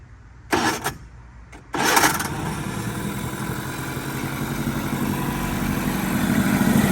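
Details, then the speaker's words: 2002 Mercury 15 hp two-stroke outboard running in a trash-can water tank: two quick pulls, then it catches and settles into a steady, even idle with no misses; a normal start and idle. "They always run good and smooth for you. We got it set up out of the little trash can here just to show y'all that it runs good. But she idles nice."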